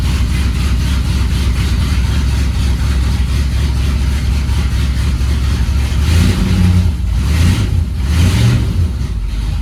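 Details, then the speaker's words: 1971 Ford F100 V8 cold start after winter storage: fast faint ticking over idle rumble from exhaust leak right after the headers, needs repair. "You can hear the exhaust leak right after the headers. I gotta get that fixed too."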